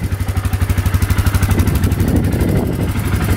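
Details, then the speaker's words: Suzuki Eiger 4x4 ATV, bought beat up and fixed: catches quickly and settles into an even idle around three beats a second, no misses or knocks, no smoke; normal start and idle after repair. "It starts right up, no issues at all. Lights all work. Both lights are working. No smoking at all."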